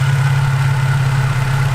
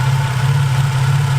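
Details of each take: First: Infiniti G35/Nissan 350Z VQ35DE at idle, heard through a socket bar held on a known-good idler pulley for comparison: smooth, steady low hum with no grinding; bearing sounds good. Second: Infiniti G35/Nissan 350Z engine bay, heard through a socket held on the idler pulley: thin high whine over idle drone from failed bearing in the idler pulley tensioner.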